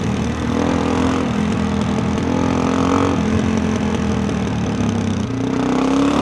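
Strong steady drone that climbs cleanly in pitch under full throttle, no misfires or stumbles; the single is pulling healthily.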